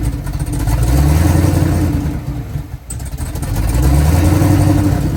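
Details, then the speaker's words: Twin-turbo Silverado with an L87 Gen 2 10-speed swap, E92A ECU and T87A TCM not communicating: the ECU reads first gear instead of park or neutral, so no injector fuel; two long steady cranking bursts with no firing. "So, uh, right now my ECU shows to be in first gear. That why that's why when I crank it over the injectors don't work. It'll send no fuel because it's seeing first gear and it needs to see park or neutral or else it will not work."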